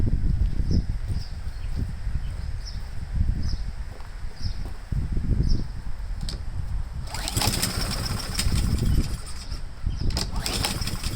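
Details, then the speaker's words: Honda-powered Husqvarna mower, choke possibly still on: chugs unevenly with irregular low thumps, never smooth; owner unsure if flooding, later suspects the emulsion tube must come out. Cause unconfirmed. "I mean we didn't run it long enough for the choke to come off so I don't know if it's flooding out or what I'm not really sure"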